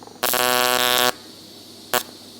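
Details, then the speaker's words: TIG welding a billet steel BMW M57 exhaust manifold: harsh, raspy buzz then a short second burst as the tungsten tip becomes contaminated and doesn't earth properly; tungsten to be replaced after this pass. TIG arc buzz from contaminated tungsten. "so that bad frequency that you could hear there is the the tip starting to get a little bit contaminated and not wanting to Earth out properly so after this pass we'll change that out"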